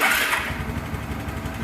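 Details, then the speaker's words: 2010 Suzuki Access scooter after replacing worn carbon brushes in the self-start DC motor, which had a tik-tik no-start problem: starter spins briefly, then the engine catches into a steady, even putter, a clean electric start. "गाड़ी बिल्कुल ठीक से start हो जाएगी। देखो, मैं तुम्हें एक बार फिर दिखाऊंगा कि यह कैसे शुरू होता है।"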